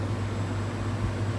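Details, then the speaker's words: Air conditioner after replacing a bad condenser fan capacitor, pressure stabilizing around 120–125 psi: steady low hum with an even fan rush, compressor noise minimal with no straining, knocking or rattling; normal compressor operation. "pero el ruido del compresor es mínimo esto casi no se escucha es muy bajito ya que tiene el ventilador funcionando de forma correcta"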